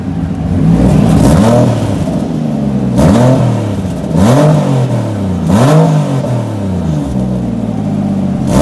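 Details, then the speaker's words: Turbocharged car started cold after sitting weeks in snow: repeated throttle blips give a raspy puffing chuff rising and falling with revs; exhaust leaks in makeshift piping after the stock turbo elbow. "yeah this exhaust needs to go like you can hear the exhaust leaks"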